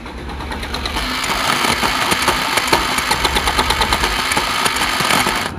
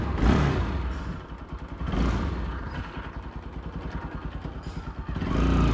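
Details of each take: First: Bajaj Pulsar NS 200 motorcycle engine, carburetor fitted two days earlier and overflowing fuel; engine makes a rough, uneven ticking knock about twice a second, like a shallow-well pump thumping, and rides like one; engine knocking. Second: Pulsar NS 200 engine after fitting a new modified one-way (starter clutch), previously seized while running: steady, even single-cylinder idle with gentle speed rise and fall, no knocking or former shallow-pump-like noise; normal idle.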